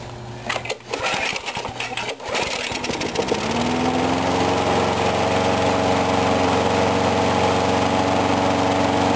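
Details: Briggs & Stratton mower engine, cold 35°F, sat long with water in the gas; few rough catches then steady even drone with no misses; normal running.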